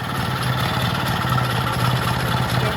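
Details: Vintage Jacobsen greens mower small engine running on a temporary fuel tank with added fuel shut-off and filter, no choke: even low putter with a steady beat, no knocks or misses, idling smoothly.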